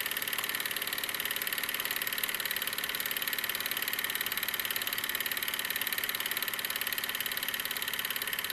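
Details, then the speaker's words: Wilesco D-18 tabletop steam engine running outdoors, throttled down: light, quick chuffing about three beats per second, even and steady; normal healthy running. "okay that's a steam engine is really going I think I might turn that throttle down"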